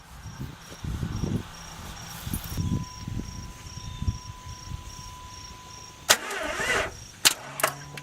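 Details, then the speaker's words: 1997 Jeep Grand Cherokee after fuel pump assembly replacement (Airtex E7103MN), little gas in tank: several seconds of uneven cranking before it catches; hard start from air in lines, purged by jumpering relay. "We got the fuel pump purged. There was some air in the lines, and I didn't have enough gas in the tank, I think."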